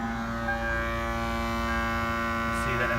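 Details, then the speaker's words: 2002 Toyota Tacoma: no sound with key off, then at key-on a steady low droning buzz at one fixed pitch from the passenger side; electrical buzz of unknown cause. "see that in this area, hopefully hear that in that area is the droning, buzzing noise of which I spoke."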